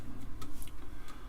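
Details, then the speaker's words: Amiga 500 with a PC floppy drive adapted to Amiga signals, loading Arkanoid at power-up during audio testing: quick sharp ticks a few times a second as the head steps; normal floppy loading. "I could hear the floppy accessing you can see it down here doing its thing"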